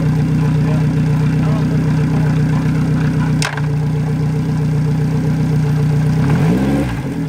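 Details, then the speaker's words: Yamaha 90hp four-stroke outboard on an 18ft G3 boat, replacing a 60hp two-stroke, after the throttle linkage was adjusted to fix revs that stuck high in neutral. Steady, even, smooth low idle with no misses or knocks; normal idle. "so i had to adjust the linkage and once we got that adjusted it purged like a kitten"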